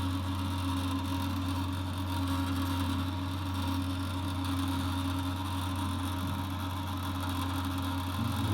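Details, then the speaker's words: Atlantic dry-element water heater: constant low drone with a steady tone underneath, from the hot pipe vibrating when cold water is opened partway, not the check valve, which was replaced about 6 months ago; stops at full flow or after minutes. "явно вот горячая труба. Я бы не сказал, что это клапан, он даже не дрожит, а вот прям горячая труба дрожит нормально."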